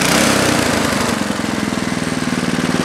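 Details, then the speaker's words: 1973 snow blower single-cylinder engine without primer bulb, cold start at about 30°F after carburetor float-bowl drain gasket replaced; uneven pum-pum beat with soft or skipped firings, rich fuel mixture stumble. "as you noticed when it was running before it had that little pum P pum pum in it that means"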